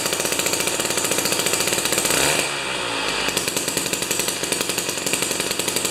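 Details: Jiffy 30 3HP two-stroke ice auger with a J19LM plug instead of a J17LM: high buzzing with a fast regular firing beat. Screwed in it whines lean at high rpm, backed out a little it dips and recovers cleanly; normal running.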